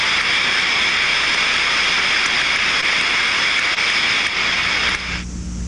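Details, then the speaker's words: Float steam trap heard by contact ultrasound: steady, unbroken rushing hiss with no flow modulation, steam passing continuously, trap failed open. "jeżeli słyszymy ciągły hałas też wiemy że mamy problem"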